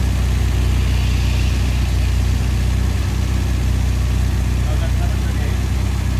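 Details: 1971 Volvo 1800E B20 four-cylinder on first start after a stop-gap head gasket replacement (bores rust-damaged) and fresh oil, run before re-torquing head bolts: steady, even low rumble with no ticks or misses; idling cleanly.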